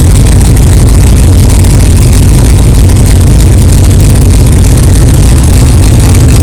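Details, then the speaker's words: 1964 Chevelle 383 stroker V8 at first fire-up after an 8-month build, not yet warmed up, alternator charging, 11° timing, 63 lb oil pressure: deep, loud, steady rumble, even idle, no knocking or clatter; healthy normal idle. "wow thank God it runs it runs good sounds good no problems"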